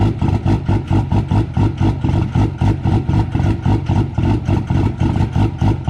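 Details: Cummins diesel truck at -6, grid heaters unplugged, not plugged in; rough surging lope about four beats a second with smoke after cold start; cold start lope without grid heaters.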